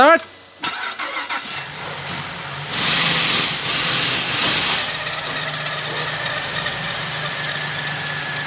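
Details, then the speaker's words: 2007 Chevrolet Caprice six-cylinder after fixing cylinder 6 misfire (P0300/P0306) with new spark plug and cleaned injector: engine cranks, catches quickly and settles into steady, even idle with no stumble; runs smooth. "so guys engine is now ok"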